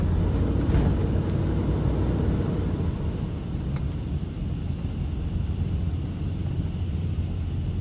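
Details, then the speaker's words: 2005 Dodge Ram 1500 4x4 driving after swapping the noisy rear differential for a salvage-yard unit: steady low road rumble, no whine or howl rising with speed; rear end now runs quiet. "so sounds much better this is great this is awesome man two days of work well worth it"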